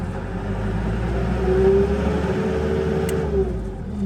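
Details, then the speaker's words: Bomag Hypac sheepsfoot vibratory roller diesel after fitting a new throttle switch, which had been stiff and cut out randomly: engine rises smoothly in pitch, holds its revs and settles back; the throttle now responds cleanly. "Alright, well, it works."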